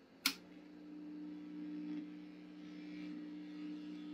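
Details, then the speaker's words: Vintage Swan 350 transceiver with recapped power supply, lid off: click at switch-on, then steady low hum with higher hum above, same as originally; owner suspects rear wiring/Jones plug, unconfirmed. "that sounds like it did originally I don't like that and it has something to do with this wiring going on back here"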